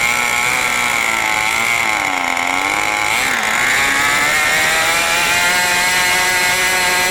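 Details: New OS 40 FSR glow engine, second tank during break-in: a piercing, steady high-rpm scream whose pitch wanders slightly. The high-speed needle and mixture are still unset and need adjusting.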